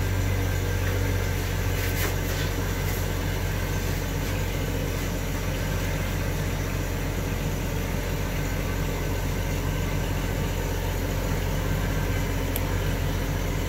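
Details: 1993 Jeep Cherokee after replacing the humming fuel pump, fuel tank and fuel filter: engine catches quickly and settles into a steady, even idle with no misses, knocks or stumbling; healthy.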